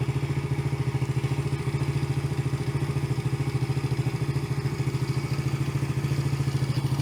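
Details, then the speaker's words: Yamaha TT-R110 single-cylinder being revived, running after carburetor cleaning and idle/mixture screw adjustment (was a little rich), air box off. Steady, even beat of about three and a half pulses a second with no stumble; sounds much better, normal running. "sounds quite a bit better"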